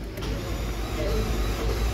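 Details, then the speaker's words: Toyota Land Cruiser LC200 after smart key ECU, ID code box and BCM programming: steady low starter churning, engine cranks but won't fire yet, exhaust starting to smoke, seems close to starting. "Ayan. Nagka-crank na siya. Pero ayaw pang umi-start, pero parang malapit na, umuusok na ang tambutso."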